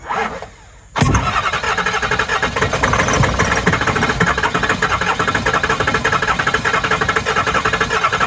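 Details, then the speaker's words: Ford 6.0 diesel truck: steady starter churning with even compression pulses, almost catches but never runs; crank, no-start. "Go back there. Oh, it almost started."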